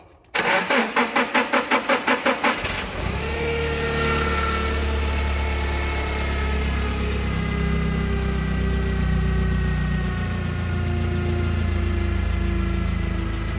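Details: Nissan forklift with code P0335/E27 crankshaft position sensor circuit, intermittent start/no start, cam and crank sensors previously replaced: starter churns in quick even pulses for over two seconds before catching to idle; extended crank from defective replacement crank sensor.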